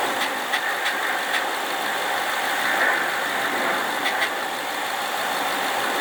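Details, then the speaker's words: 2011 Mustang GT 5.0 automatic with cold air intake, SCT tune, 4.10 gears and Roush mufflers, idling with a faint light ticking in short runs, present since day one; cause unknown. "Okay, this is a video of the infamous ticking sound. I have it in my car and it's kind of unexplained at the moment."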